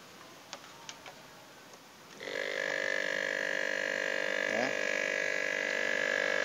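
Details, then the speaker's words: Refrigerator compressor under pressure test for weak or reversed pumping, outlet closed: quiet, then at about two seconds a steady, heavy hum with a strained tone; compressor labouring against blocked discharge. "Kalau sudah hidup kemudian saya tutup kemudian saya masukin ini kompresor ini sampai bunyinya kira-kira berat baru saya tutup."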